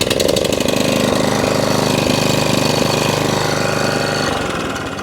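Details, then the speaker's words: Atco Balmoral 20SK 20-inch mower with Kawasaki engine, stone cold after long storage, choked, starts first pull: single-cylinder runs strong and even, steady beat, no misses or hunting; normal cold start and running. "Every single time. First pull. And that's why they demand the price."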